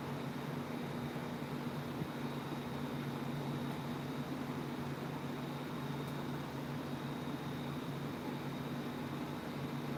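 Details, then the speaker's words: Unbranded 28" tower fan running on a blade motor swapped in from a dead 2010 Aloha Breeze 32" tower fan 87120. Steady hum with two low tones and a faint high whine that sounds weird; cause not pinned down. "that is so weird it's making a weird noise"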